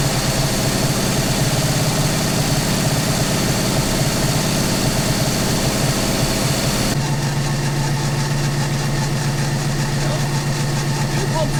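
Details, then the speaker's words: 1960 Oldsmobile Dynamic 88 V8, first run after sitting a couple of years, fed from a jerry can through a new 3/8 fuel line. Low, uneven, loping idle that never settles; it runs rough and smokes. "it's so beat it's just rough and rusty and smokes and all that good stuff"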